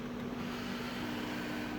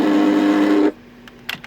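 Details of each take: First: 2005 Audi A8 sunroof wind deflector motor after fix: paper wedged between motor and brace to take up tolerance; smooth steady motor hum with even tone, no grinding or rasp; deflector noise gone. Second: 2005 Audi A8 sunroof noise: rough, buzzy motor drone under a second then cuts off, from the wind deflector motor, exposed with the trim removed. Wind deflector adjustment/tolerance issue; fix options include disconnecting the motor.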